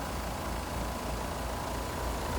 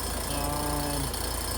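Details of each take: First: Two-ton heat pump outdoors at about 37 degrees, after about 10 oz of refrigerant added to a suspected slow-leaking system: steady low hum and fan rush; the compressor noise, attributed to its valves, is gone; normal running. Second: Two-ton heat pump not heating and running constantly: a low droning groan over the compressor's steady run, with low side about 50, high side about 350 and the liquid line freezing near 37°F; suspected improper charge or leak.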